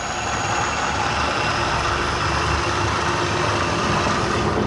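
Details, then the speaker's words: Bridgeport milling machine motor newly run on a VFD at 60 Hz: even, steady hum with a faint high electronic whine, no knocks or surging; runs smoothly at full speed. "now I'm going to start figuring out what I'm going to do with my motor oh love that sound"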